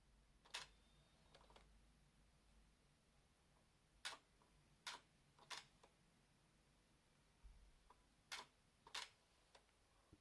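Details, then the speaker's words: Sigma 105mm f/2.8 EX DG OS HSM Macro lens (Nikon mount): faint, irregular clicks and soft clunks every few seconds in a quiet room as the optical stabilizer clunks into position. This is noisy but normal for this lens. "The optical stabilizer is quite noisy, really. You can hear it clunking into position."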